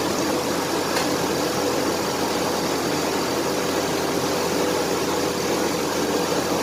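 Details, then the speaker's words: 1993 Chevrolet S10 4.3 V6 automatic idling after a fan clutch replacement: a loud, steady rushing roar of air. The new clutch is engaged and working normally. "now it should sound like a big old 18 wheeler when it fires up that means that the clutch fan is working like supposed"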